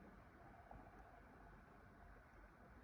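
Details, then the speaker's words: Used laptop fan idling after repair, cleaning and reassembly: a soft, steady airy whoosh with no rattles or grinding; the earlier growling noise is gone, only normal fan noise remains. "Normal sadece şu an fan sesi geliyor. Bakın o hır sesi gitti."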